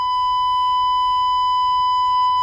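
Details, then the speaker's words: Vintage Jensen V20 upper horn driver after cleaning and resetting the diaphragm: steady pure high tone near 1 kHz with no buzz or rattle, earlier rattle gone; clean test tone. "there you go she's see there that's it that's what you want to hear all right that's the sound you want to hear"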